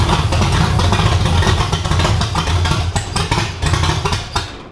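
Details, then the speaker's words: Chevy Nova with new 5.3 engine and Magic Stick 4 cam, nitrous build, first fire-up: loud choppy lope at fast idle, even firing, no metallic noises, then shut off; healthy, no fuel leaks. "It's not a big block, but that Magic Stick 4 cam, I would say, sounds pretty good."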